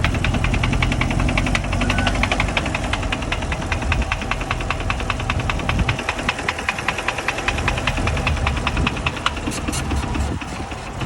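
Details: 2021 Chevrolet Camaro 2SS 1LE V8 with 16,500 miles, at idle: a sharp, fairly quick ticking knock, roughly a couple per second, rides over the idle; owner suspected rod knock, unconfirmed.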